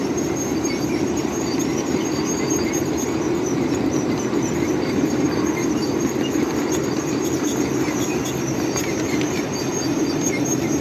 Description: listen to the brakes Squeal as we make our descent down Sand Hill at Mill Creek Central, with a Godshall Custom Machine coal fired PRR N2s.a. on the point.